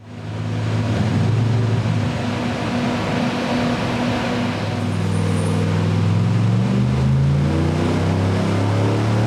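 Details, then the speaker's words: 383 small-block Chevy engine starts, revs up and settles to a steady idle that hangs a bit fast; idle speed set slightly high. "Starts up, revs up, idles. A little bit high."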